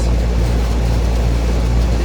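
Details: 2003 Carrier 38CKC 3-ton AC condenser with Bristol reciprocating compressor and 3-blade 18-inch galvanized Revcor fan: deep, even compressor and fan hum under wind rush; suction line cold and sweaty, liquid line hot, running normally.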